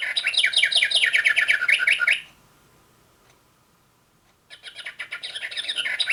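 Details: Singing bird clock after movement replacement: two clean bursts of chirping birdsong with a short gap; hourly song plays cleanly, sounds a lot better.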